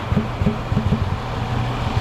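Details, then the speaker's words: 300k-mile Ford Escape 3.0 V6 after replacing a torn hose, running terribly: uneven lumpy idle with sharp pops through the intake about three to four times a second; internal cause suspected, not confirmed. "can you guys hear that popping slash backfiring noise coming through the intake something's going on on the inside"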